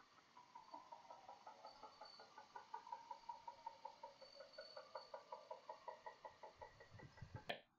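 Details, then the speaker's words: Jeep bought as a wrecked salvage car with fairly good mileage, idling with an engine knock of unknown cause; quiet steady tapping knock about two to three per second from inside the engine. "let's see have a video here there's the video I don't know if you guys will be able to hear the knocking"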